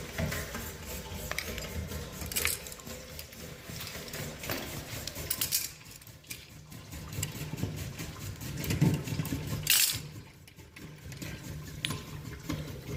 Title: Steam radiator making loud banging noise